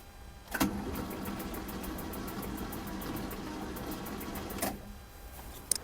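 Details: Starter whirs steadily with even compression beats, four or five a second, on a 1979 Opel Commodore C 2.5 L inline-six parked 15 years. The engine turns over freely and is not seized.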